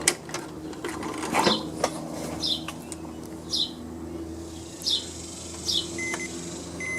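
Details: Snapper SR1230 rear-engine riding mower, magneto replaced, ignition key switched back off: two short high multimeter continuity beeps over handling clicks; kill circuit grounded to chassis properly, original magneto was bad.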